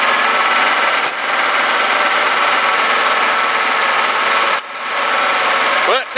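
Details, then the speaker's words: Engine revved after installing a new belt tensioner (the old one had flipped the belt over): a smooth, even belt whir with no squeal, chirp or rattle; the belt is holding and quiet. "quiet and it's holding pill let's wind it up a little bit see what happens all right well sounds good"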